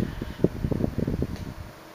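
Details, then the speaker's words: 1976 Electrohome 30 cm (12-inch) Korean-made desk fan with four high-pitch plastic blades, on low speed: very quiet low hum, but irregular sharp cracks and ticks occur while oscillating, a clicking in the oscillation drive. "it's very quiet as you can hear but it makes a few cracking sounds like I said when it oscillates"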